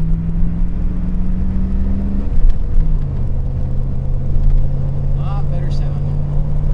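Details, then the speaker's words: Ford F-250 with newly installed exhaust, driving: steady low drone and smooth even hum while cruising, no rasp, rattle or leak puff; much quieter than before, exhaust healthy. "that's what it sounds like it's uh nothing too fancy but it's certainly a lot quieter than it was"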